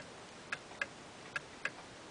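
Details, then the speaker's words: Eight-day clock with Geneva stops: ticks fall in uneven pairs, roughly 0.3 s then 0.55 s apart, a heartbeat rhythm; clock out of beat, which makes it stop early. "another reason that clocks sometimes don't go the whole eight days is is there out of beat um this one's in beat you can hear it it's ticking evenly if it ticks like this"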